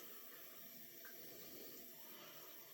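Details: Dishwasher reported as not starting, running a rinse-only cycle after start pressed and door closed within seconds: steady hiss of water filling without interruption, no pump strain or clicking. Normal fill; fault was only user error in start sequence.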